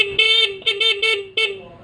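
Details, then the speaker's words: Yamaha New Vixion motorcycle stock factory horn, somewhat damaged: short thin toots, high nasal tone with little body or punch; weak, being replaced with Hella snail horns via 4-pin relay. "Mengapa saya mengganti tanduknya dengan tanduk siput? Karena klakson bawaan pabrik sudah agak rusak."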